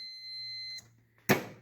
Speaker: So when this thing gets depressed, right now when it's all the way out, no starty, starty, no starty, starty. So we're good.